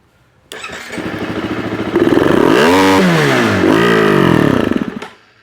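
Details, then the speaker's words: Husqvarna FE350 single fires up, revs climb briefly then sag and flatten twice, never pulling clean to high rpm; cleaning and blowing through the fuel part didn't help, pressure builds then runs out of fuel, so a fuel pump is suspected. "no dice so looks like a fuel pump it is um everything else checks out just running out of gas uh like it builds pressure for a second and then as soon as you um you know you Wick it it goes okay for a second then you get off and then back on runs out of fuel so"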